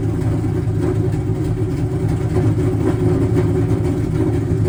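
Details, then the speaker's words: Cobra V8 on a stock tune with Comp cams and 24 lb injectors, idle screw opened about half a turn: loping, uneven rumble with irregular pulses and frequent backfiring; rough idle, likely tune not matched to cams. "the car should run, but idle probably won't be too happy. I still hear the car backfiring a pretty fair bit."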